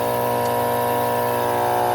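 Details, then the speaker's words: Alita 60 air pump test-run during a rebuild: strong, even buzzing hum with no rattle, flutter or dropouts, lawnmower in the background; both sides good, lots of air, healthy. "Holy heck, does that got air. Yeah, they're both good. Lots of air."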